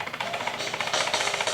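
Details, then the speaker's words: Bissell Symphony 1132 vacuum and steam mop after steam pump replacement (part 1603370), tested on high with trigger pulled: fast even thumping pulses with hissy top, steam produced; normal steam pump operation. "it is turn up hear that thumping noise I guess that's plenty that's normal here the steam and actually see it"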